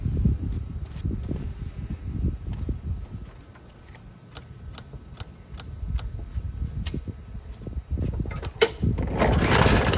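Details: Craftsman push mower that sat 2.5 years, with a cleaned carburetor, fresh gas, new air filter, new spark plug and new carb gasket: repeated rough pull-cord bursts with chugging but no catch, cranks but won't start, owner suspects no spark.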